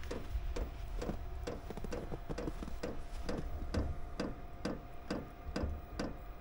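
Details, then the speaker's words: Chinese diesel heater with fuel-related error codes E08/E10 after installation changes, running rich and smoking while glow plugs heat: soft steady fuel pump ticking about twice a second over low hum, burner never catches; failed startup. "all right you can probably hear it fuel pump's running we're getting some smoke"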